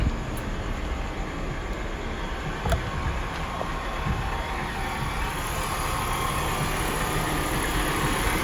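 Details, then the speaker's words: 2005 BMW X5 engine idling: rough whirring rumble from the worn A/C compressor pulley bearings, staying just as loud once the A/C is switched on; the A/C itself works perfectly and blows cold. "hear the poor song coming from the AC compressor bearings the AC work perfect"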